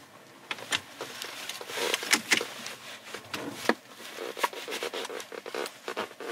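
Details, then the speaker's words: 2015 Hyundai Equus VS380 with about 200,000 km, driving in the cabin: irregular dry creaks and ticks from the seat as it flexes, with rattles also noted around the console; seat creak, cause not confirmed. "시트에서 나는 잡소리입니다. 굉장히 신경쓰이네. 그죠? 부대끼는 잡소리가."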